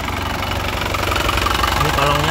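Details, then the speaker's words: 2019 black Isuzu Panther LS Turbo diesel, low mileage: steady regular diesel clatter at idle, crisp, no misses, knocks or surging; dry exhaust smoke, underside dry; healthy normal idle. "Jadi sudah kering, suaranya renyah enak dan tidak pincang."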